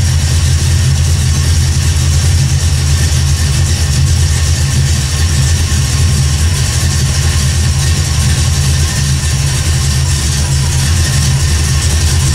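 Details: 1979 AMC Spirit AMX, carbureted AMC 304 V8 rebuilt about 20,000 miles ago, after a Carb Cheater install: steady, even low rumble with no misses, knocks or hunting. Smooth, healthy idle.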